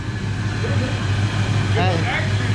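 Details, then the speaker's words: Foxbody Ford Mustang V8, stored in a container for about 11–13 years, now runs; rear view of Flowmaster exhaust at idle: deep, steady low rumble with even beat, no misses or knocks. Normal idle. "13 years it runs great I could get back here I want to hear the flowmaster oh yeah we got to hear the whole school flowmasters Oh Wow you can tell it's big man"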